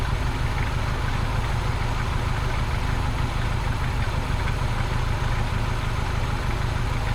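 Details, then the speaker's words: Abandoned 1973 Ford Pinto Squire wagon, first start after sitting, old fuel pumped, under quarter tank, hot day: low uneven loping idle stumbling about three per second, running rough but staying lit; cause suspected, not confirmed. "engine's not running perfectly but it is running"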